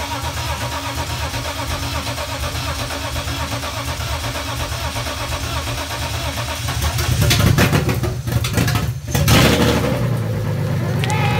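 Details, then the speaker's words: 1995 BMW E36 M3 with freshly rebuilt S50 engine, first start after about 11 months, starter just rewired. Smooth, even six-cylinder idle with a couple of clean throttle blips, no knocks, slapping or rattles: normal idle. "oh my gosh like no drama that was amazing it sounded good too yeah it did"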